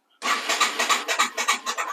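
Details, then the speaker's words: Yamaha TW200 that had been sitting: starter cranks the engine over well in even pulses, about five a second, but it never starts; owner plans to pull and clean the carburetor. "but it doesn't start it's been sitting so um you know what we're gonna do if you've been watching my channel but ever we're gonna go into it and pull that carburetor off and get that going"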